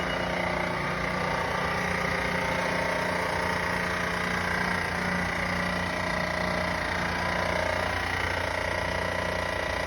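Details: Van engine at steady idle with a faint, regular tapping over the engine at roughly three to four per second; an odd idle noise of unknown cause.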